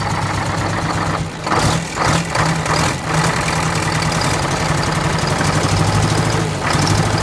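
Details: 1969 International 400 dump truck, Detroit 8V-71 two-stroke V8 diesel, after cracked bell housing chained shut and air starter used, fuel stabilizer and cetane boost added: busy even idle, steady low throb with a couple of revs, no misses or knocks; normal idle.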